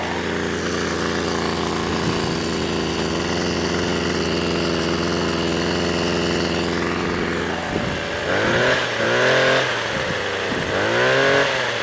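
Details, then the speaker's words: Two-stroke strimmer that wouldn't start on suspect contaminated fuel; now on fresh fuel after choke and primer, held at a fast steady buzz then blipped up and down cleanly, running well with no stumbling. "So I've got it running quite fast at the moment, burn some of that off. And it runs really well."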